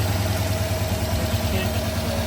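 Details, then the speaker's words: 1966 Ford Fairlane at lower rpm idle after spark plug work; faint uneven lope with pulsing thump, light miss still shaking the engine, less than before; misfire at idle. "That's lower RPM, it's not missing as much."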